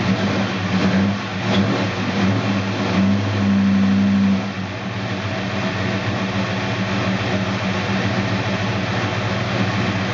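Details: 1969 Dodge Dart Swinger 340 V8, first start after reinstalling the K-frame, engine and transmission assembly: holds raised speed about four seconds, then drops to a steady even idle; normal revving then idle.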